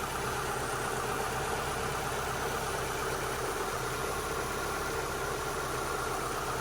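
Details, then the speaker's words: 2002 Mitsubishi Lancer four-cylinder, warm after about 5 minutes of running following ignition parts and new O2 sensors: steady, even idle with no rocking or stumble under a garage fan's hiss; earlier roughness possibly pressure-wash water in sensors (owner suspects); normal idle. "Sounds a lot smoother now. It's not rocking back and forth as it was before."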